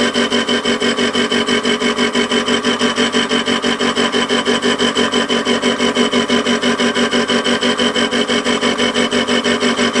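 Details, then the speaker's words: WARCO lathe facing across a faceplate/ER32 collet chuck mount with runout, at a bit faster speed. A steady cutting hiss pulses about three times a second as the tool crosses the bolt slots and stops cutting in the groove: a normal interrupted cut. "The intermittent you can hear is the bolt slots. And obviously when you run into the groove it doesn't cut at all."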